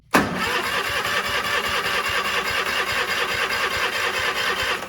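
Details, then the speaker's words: Cub Cadet 1430 mower after sitting years: engine catches with a burst then runs ragged, uneven for a few seconds and won't restart; owner first thought spark loss, later found a blockage in the fuel system. "let's see if she fires back up no you don't want to start now what's going [Laughter] on it's like we lose spark that's so weird"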